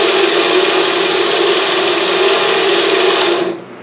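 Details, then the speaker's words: Autobox 8x16 lathe on auto feed: steady cutting rasp for about 3.5 seconds, then the motor abruptly stalls; too deep a cut or too low spindle speed suspected, not confirmed. "it died. This is what it does. So, and I may be taking too much of a cut."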